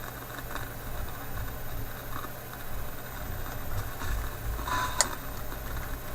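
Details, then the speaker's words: Philips 922 vacuum tube radio restarted cold after a few hours off, on current restriction at reduced voltage: faint hiss with scattered crackles and a sharp pop near the end as the crackling returns; the owner suspects the IF capacitors. "hey what happened when I've been there to be coming back now not such a good sign ah now that crackling seems to be there"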